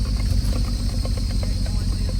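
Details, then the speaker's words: Engine after valve work, no compression in cylinder 4: heavy uneven running with irregular dull pops (misfires) and an annoying squeal from the auxiliary belt tensioners; misfiring, cause not yet pinned down. "Пищит так, что раздражает. А такой раздражает? Весьма. Как хлопок слышно. То есть это пропуски."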